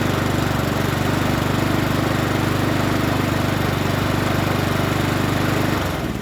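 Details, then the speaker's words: Troy-Bilt TB130 21-inch push mower with Honda GCV160 engine, reportedly a non-starter, with old oil still in (to be drained): steady, even single-cylinder drone at constant speed, no misses or knocks, then fades; normal running. "don't sound too bad let's start it up again sounds pretty good"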